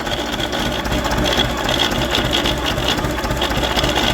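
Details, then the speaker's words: Running dynamo that is not charging and produces only one volt: a steady drone with a thin high whistle and scratchy crackling throughout, from worn-out dynamo bearings. "Mamy do wymiany tego grata prądnica jest łożyska są wywalone słychać jak trzeszczy"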